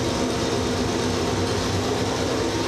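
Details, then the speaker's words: Cheap bathroom exhaust fan, heard from outside the bathroom. A constant airy whoosh with a low hum and no rattles or scraping: a loud fan running normally. "you can already hear it I'm not even in the bathroom you can hear it that's a loud fan"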